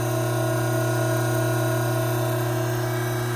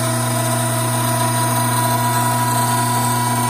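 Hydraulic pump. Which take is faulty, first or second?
second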